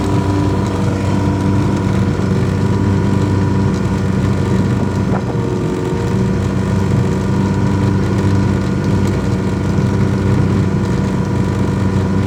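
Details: Yamaha 100HP outboard test run after an ignition misfire: steady, even drone with constant hum and no stumbles or dropouts over twelve seconds; runs smoothly.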